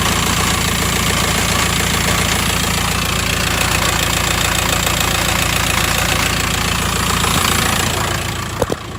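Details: 2008 VW T5 1.9 TDI diesel at idle: steady idle with a light, fairly even rattle at about 3.5 per second on top; source not pinned down.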